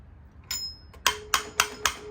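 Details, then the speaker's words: Small-block Chevy (4-bolt main, 400 crank) cylinder heads being reassembled, valve assemblies tapped: four sharp taps each with clear lingering metallic ring, unlike dead sound when heads came off; collets seated, healthy. "But when I first took these heads off, there was no sound. They were all dead sounding. Hear the ring? Hear the ring?"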